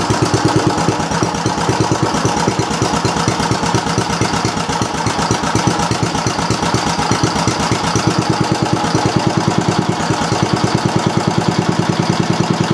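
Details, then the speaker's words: Briggs & Stratton Model B (B 7 S) single-cylinder engine with non-original muffler and added gas shutoff: steady, crisp chuffing at an even beat with no skipped firings or knocks; it seems to run nicely. "Seems to run nicely."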